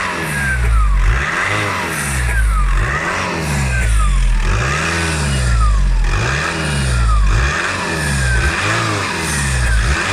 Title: Passat b6 2.0 TDI Squeaky sound.